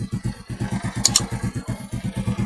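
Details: Motorcycle that had weak current and hard starting, now running: quick, even low putter at about seven beats a second, settling into a steady, regular run with no misses.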